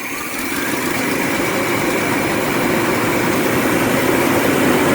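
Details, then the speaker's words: Vintage LH2 RV V8 at low idle: a slightly uneven idle with an irregular pulse and no clear knock. The owner suspects an ignition fault. The rough idle's cause is unconfirmed. "okay let's see what it does see what she does at a low idle there"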